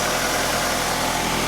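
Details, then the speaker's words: Car after its exhaust manifold was gas-welded: smooth, even idle with a steady low hum and no ticking or puffing at the manifold; the exhaust leak fix held and the idle is normal. "Oh, no air coming out. My fix held my exhaust held. Oh, it's so beautiful and quiet now. Nice."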